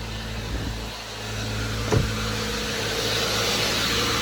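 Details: 2015-2019 Subaru Outback 2.5L idling after alternator replacement: steady even idle, faint low hum, one brief clunk near two seconds; battery light off, charging about 14.2 volts; normal idle.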